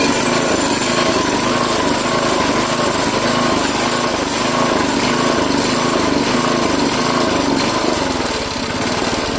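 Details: Craftsman 5 hp tiller after a quick carburetor clean, running at more than quarter choke: small single keeps running but the beat wavers and surges unevenly; stumbling from a remaining partial carburetor clog.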